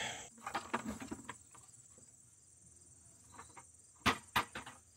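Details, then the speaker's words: Purge valve removed from a car with a misfire, bench-tested with power applied to its terminals: two crisp clicks a split second apart, crickets behind; solenoid switching, though whether it seals or flows is not yet checked. "okay okay that should have power now okay so we got huh you heard it click right yeah okay so the question is is now that it clicks does that mean it's good or bad"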